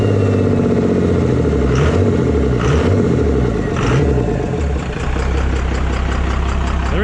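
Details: 24-valve diesel pickup after injection pump swap, pump timed to stock, not fully warmed up, intake removed: gruff idle with loud hissing, gulping air note from the open intake; goes away with intake fitted.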